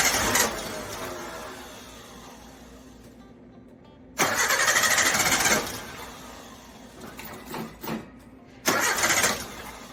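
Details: Carbureted Suzuki Samurai (SJ410/SJ413) that broke down, after the carb power valve was replaced: three separate bursts of steady cranking with pauses, spinning over but never catching. Still won't start, cause unknown. Crank no start.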